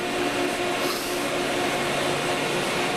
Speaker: it sounds good as its operating in the moving portion of it